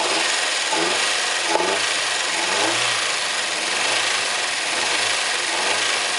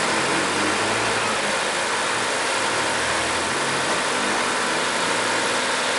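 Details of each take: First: Chevrolet Corsa 2000 engine on first start after timing and injection harness work; harsh high-pitched squeal and chirps easing slightly as it runs, starter battery recharging; source not yet pinned down. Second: Chevrolet Corsa engine on morning cold start after timing and injection harness work; starts first time, even steady idle with no knocking or tapping; normal cold start idle.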